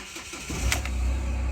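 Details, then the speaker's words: Mahindra Xylo that had cranked but not started for 3–4 months, started in neutral after the injector circuit wiring was repaired: a short crank that catches quickly into a steady, even idle, then rises cleanly with throttle. It now starts normally. "Good, வண்டி start ஆகிடுச்சு. இப்போ oscillator கொடுக்குறேன், வண்டி நல்லா rice ஆகுது."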